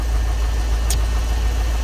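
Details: Ford EFI 460 V8 tow truck idling after upgrading the factory 2G alternator to a higher-output 3G: low, even rumble with no knocks or squeals, and the alternator is charging. Healthy idle.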